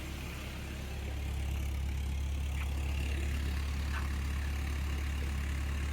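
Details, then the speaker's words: 1994 Toyota Previa LE supercharged All-Trac after rebuilt fuel injectors chasing intermittent P0171 lean code: deep, steady exhaust hum at even idle, no misses, smoother than before; normal idle. "you know what it sounds like it's just running smoly let's see what it sounds like in the back"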